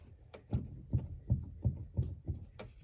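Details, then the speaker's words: VAZ car with a stiff-turning steering wheel: dull, low clunks, about six in three seconds, as the wheel is turned left and right and the tie rod rocked; knock from play inside the steering rack, owner suspects. "Всем привет при повороте руля вправо или влево мы слышим вот такой звук Напарник у меня крутит руль и вот мы слышим вот такой стук вероятнее всего что стук в рейке"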